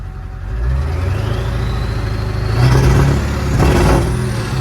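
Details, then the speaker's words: Diesel, warmed up, freshly refilled after running low in bitter cold. Revs and holds with slightly uneven stumbling note; owner says fuel still partly gelled, debris in lines, hopes full tank and warmer weather clear it. "You guys can tell she's still a little gelled, but by tomorrow with that full tank, after that stuff kind of works through the system a little bit, I pray everything's good with this thing."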